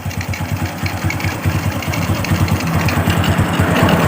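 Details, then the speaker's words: Freshly rebuilt Honda Revo Absolute engine idling during break-in run: steady, even single-cylinder idle about two pulses a second, faint carburetor hiss; engine runs smoothly. "Ya, untuk di bagian mesin ini sudah lembut, bisa teman-teman dengarkan."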